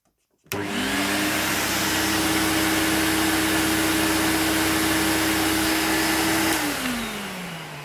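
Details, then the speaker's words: Electrolux Twin Turbo 2 Super Z1070A bagged upright vacuum with the bag removed, yet the red bag-full indicator goes across. The motor spins up to a steady strained hum and winds down; airflow is blocked by a clog. "so turning this on and the motor sounds brilliant as well here's why I know it's clogged so straightaway when you turn it on"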